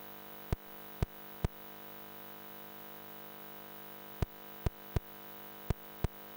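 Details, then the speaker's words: Grey ZX Spectrum 128K +2 before fix: constant low mains-type hum with a few stray clicks from the built-in datacorder tape deck amplifier feeding into the computer's audio output (clip slightly compressed). Tape amplifier hum. "what we're listening for is a background hum coming from the ZX spectrum's data Corder"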